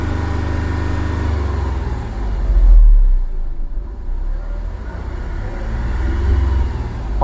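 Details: Skoda Fabia diesel with VW Polo engine that stalled while driving, suspected low compression, started after filling common rail: deep steady rumble swelling as the accelerator is held, then settling; runs cleanly.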